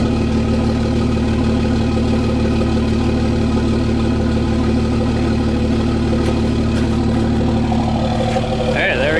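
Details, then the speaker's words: Cummins diesel truck started at +2 degrees with grid heaters disconnected: steady, even clatter settling into a smooth idle with no lope or hunting, a normal cold start. "Started up fine, didn't lope or carry on or do any weird stuff like that."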